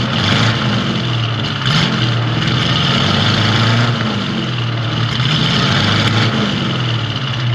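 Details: 1970 Ford Mustang V8 with power steering and brakes, just started, oil pressure rising, alternator working: deep even note swelling smoothly up and back down, no knocks, ticks or rattles; normal idle and revving.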